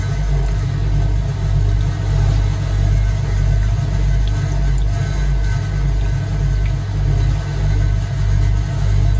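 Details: Vintage Hotpoint 1012 spin dryer spinning a full damp laundry load with the mat on: a deep, steady rumble with a soft, even pulse of about 100 per minute; healthy, as a later 1600 washer spin extracted little more water.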